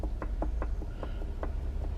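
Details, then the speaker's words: 2014/2015 Chevrolet Aveo 1.6 16v lower control arm: quick sharp knocks as the worn riveted ball joint is rocked up and down by hand, showing visible play; control arm replaced. "But this ball joint is finished because when I move it, if you look very carefully, you can see if I'm moving it up and down, you can actually see the play there. Can you see that? Okay, and you hear the knocking as"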